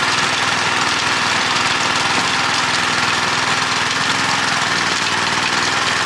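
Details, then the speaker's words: Honda F810 rotavator with tiller box, bought as a non-runner after two to three years standing in a field and revived: loud, even engine drone at constant speed while digging, no surging, misfires or knocking; healthy under load. "compared to others that i've used this machine is pretty easy to use with the handles offset produces nice fine even tilt"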